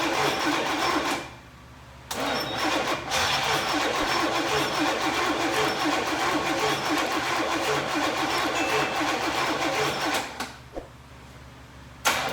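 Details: 1990 Chevy 454 SS truck under rebuild: rapid, even cranking for about eight seconds with occasional stumbles, but it never catches; crank, no start, cause still being researched.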